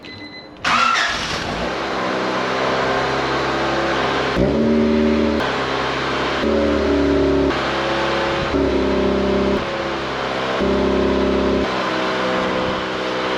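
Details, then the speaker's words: 1988 Honda CRX Si after replacing the rusted, holey muffler with a stock one: engine catches and revs evenly, exhaust low and smooth with no rasp or leak, barely audible over wind; remaining noise comes from the front (intake). "windy, but you can hardly hear anything. All the noise is coming from the front."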